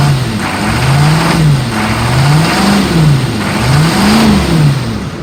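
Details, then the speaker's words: 2002 Chevy 3500 utility truck, 6.5L diesel, automatic, 110,468 miles, warm after about 45 minutes running without overheating: revs up cleanly in smooth swells and settles to a smooth idle, no knocks or misses; normal. "revs up nice idle smooth"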